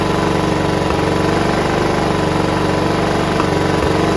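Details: John Deere RX75 rear-engine riding mower, first run on its own, before ignition switch fixed: steady, even idle putter, no misses, knocks or hunting; normal idle, no carb clean needed.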